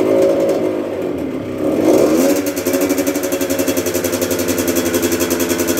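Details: 1996 Yamaha YZ80 80cc two-stroke, first start after a full rebuild, choke on: crisp ring-ding note that blips up, then settles into an even, steady popping idle, sounding healthy.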